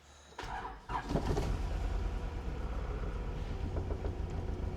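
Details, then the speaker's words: Car stored over 13 years, first start on jump pack before fluid change and new plugs: engine cranks, fires, then stumbles with irregular shaky idle; rough running, suspected old plugs, oil and stale fuel. "runs like crap. But it just means that we have to change the spark plugs, obviously, drain the oil, give it a full flush of all fluids, and should be hunky dory."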